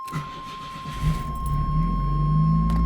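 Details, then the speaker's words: 1981–82 Camaro/Firebird after sitting about 25 years, about 30°F outside, starting for a drive: brief crank catches quickly and settles to a steady, fast high idle over a buzzer that then stops; starts normally. "Starts up like it should. Buzzer goes away. Still idling high, but we'll have to figure that out now."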